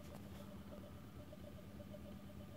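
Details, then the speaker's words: 220 V induction motor on open-loop software with no feedback, SLA battery supply, speed raised by pot: rough, uneven pulsing hum as it steps rather than turning smoothly; stepping under open-loop drive. "and as I move the pot it steps faster and faster it runs very rough this is no feedback on it now if you can hear that then you might be able to sear"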